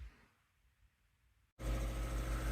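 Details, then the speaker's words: Newly installed shop air compressor, replacing a 37-year-old unit, pumped to about 110 psi with the fan going: after a short quiet moment it starts and runs with a steady, even hum and low drone, no knocks or rattles; normal running. "we just had this thing running I uh pumped it up there a bit to 110 or whatever and the Fan's going"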